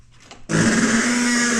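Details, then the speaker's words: Mitsubishi Evo IX rolled back and forth in neutral: a sudden low groaning, droning rub as the tire rubs on the strut assembly resting against it. "The strut assembly is resting on the tire. So not good."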